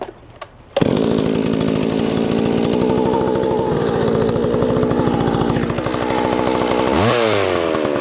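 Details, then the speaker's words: McCulloch Pro Mac 610 chainsaw, old two-stroke, greasy and not run for years, chain seized and clutch needing work: fires at once, settles into a busy steady buzz with a quick throttle blip; up and running normally. "And I don't care about that right now because it's up and running. So that's good enough for now."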